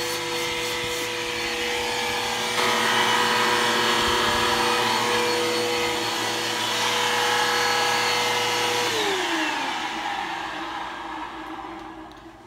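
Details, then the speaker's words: Bissell Powerforce Helix 1240 vacuum running: a steady high whine with a rough, gritty edge over the motor hum, fading as it shuts down. The brush roll bearings, not the motor, are failing, and the brush roll needs replacing soon. "like I said the brush or is going to need to be placed really really soon uh you can hear the bearings are going out in it um not the motor the brush roll um the bearings are out in the brush roll so the brush roll need to be replaced soon"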